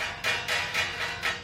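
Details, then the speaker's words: Kawasaki Vulcan 650 S, engine off, aftermarket radiator grille just installed: four sharp metallic clacks as the grille plate knocks, loose because no screw holds the top of the plate; screws are only at the bottom. "it's kind of loose um so the reason it's loose is because there's no screw holding the top plate right the top of the plate the screws are on the bottom on both sides here"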